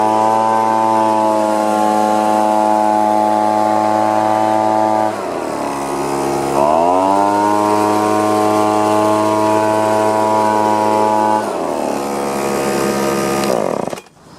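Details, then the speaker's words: Echo PB-2520 two-stroke blower that labored at high rpm and wouldn't idle, after carburetor cleaning and new starter handle; clean steady buzz at full throttle, dips and climbs smoothly, running properly. "Well, that wasn't too bad. Just cleaning the carburetor out and putting the new handle on it."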